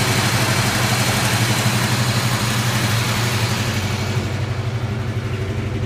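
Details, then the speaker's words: 1988 Mustang after pressure-washing left moisture and corrosion in the distributor, cap and rotor; dried, retimed, coolant bled: uneven lumpy idle with periodic stumble about four times a second; still missing, owner suspects cap, rotor or distributor needs replacing. "Sounds like you still got a miss. You got to rough a little bit."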